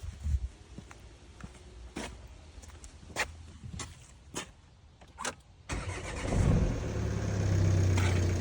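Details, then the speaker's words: Volvo V40 previously no crank no start, after new starter, new battery and cleaned EGR and throttle: quiet ticking and clicks, brief starter spin, engine catches cleanly into steady idle; normal crank and start. "And voila. At the moment, we did it. Finally, it's working now."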